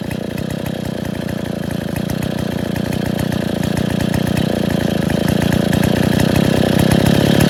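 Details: Freshly reassembled Stihl 070 two-stroke chainsaw (new seal, axial play corrected; no choke, cover or bar) buzzes at a fairly steady idle that builds slightly in loudness, with no knocks or sputters: normal idle.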